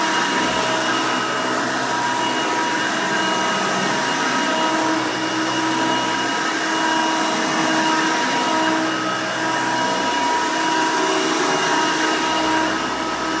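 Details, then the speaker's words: 1990 Hoover Elite 200 U4467 upright vacuum, 5 amp motor, running on carpet: loud, steady high motor whine with fan rush at even speed; runs smoothly and healthy. "all right runs pretty good but before we end the video let's go ahead and demonstrate the attachment converter that i actually have when i originally got my hoover elite 350."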